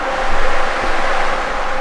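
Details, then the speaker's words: BMW E36 drift car being prepped for a 1JZ VVTi swap, hot-wired without its broken key ignition: the electric cooling fan, powered through the new switch wiring, gives a steady airy rush with a slight rhythmic surge and no rattles; normal fan operation. "so that's good that's what this does as you can hear now my fan works"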